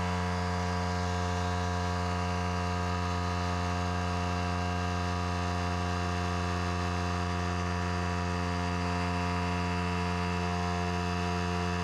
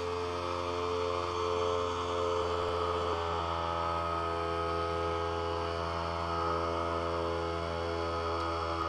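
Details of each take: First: Harbor Freight Central Pneumatic pancake compressor (item 95275), over six years old, that suddenly stopped building past about 25–30 psi. Steady motor hum with a fast, even pumping pulse and no load change: it runs but doesn't build pressure. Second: Harbor Freight Central Pneumatic 95275 pancake compressor after a repair with new tubing and a compression fitting. Steady, even motor hum with no knocking or hiss as pressure climbs about 20 psi; it runs normally.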